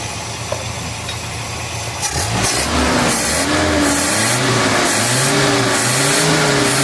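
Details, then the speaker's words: Van with standard original Hitachi carburetor, after distributor replacement: revs climb and fall smoothly through several blips, picking up cleanly with no stumble or popping. Clean revving. "Dapat dapat. Itu yang aku nak bunyi tu dia tak sebu koyak tu."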